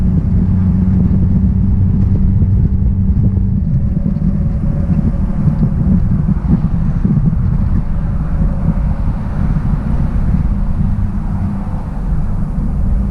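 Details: 1966 Triumph Spitfire, rebuilt 1147cc engine, driving after fuel system stripped and lines flushed: steady deep drone under road rumble, pulling evenly, no stumble or misfire; normal engine under acceleration.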